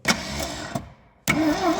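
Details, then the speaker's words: 1972 Triumph Dolomite 1850 barn find, unused 34 years, starter energised via trigger wire because the wiring is faulty: two short bursts of steady, even cranking with no binding; the engine turns over freely, before fuel lines and ignition are sorted. "oh she's turning over that's a start that's a start that's a start that's a start well engine is turning over that's the main thing"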